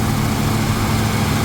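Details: 1977 Ford F-150 idling; 14 volts measured, owner unsure if a bit high: deep, steady low hum, even beat, no ticks or misses; running smoothly.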